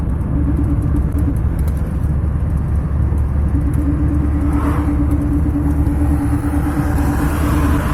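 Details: Driveline hum heard only in gear, certainly in 3rd, 4th and 5th, mostly on throttle or engine braking, stopping when the clutch is pressed or the gear is disengaged: steady mid-pitched drone over road rumble; suspected bearing, hubs thought unlikely. Humming noise in gear.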